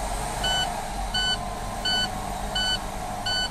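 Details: Truck air brake pressure build-up test, tanks drained to zero, diesel engine at fast idle: a shrill low-air warning buzzer pulsing about every 0.7 seconds while tank pressure rebuilds.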